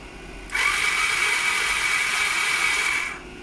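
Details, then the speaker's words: Honda ST1300 after alternator replacement, taken out of 5th gear into neutral, spark plugs out: steady high-pitched starter whir for about 2.5 seconds, spinning freely without labouring; normal cranking, with compression felt at the bores. "Excellent. put my finger down the holes for the bores, and it's chucking out compression, so all good."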